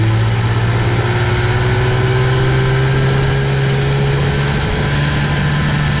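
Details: 1965 Johnson FD-19 18HP outboard on its first run after rebuild: head from a '69 Evinrude 25hp giving very high compression, serviced points, new plugs, carb kit, new impeller, converted to short shaft. Even two-stroke drone rising smoothly, no misses or knocks; running healthy.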